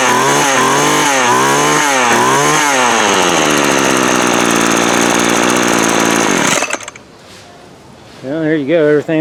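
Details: Craftsman 24cc 17-inch string trimmer that had broken fuel lines and primer bulb, fuel lines swapped and plug cleared; buzzy two-stroke revs in quick repeated blips, then idles evenly; running fine.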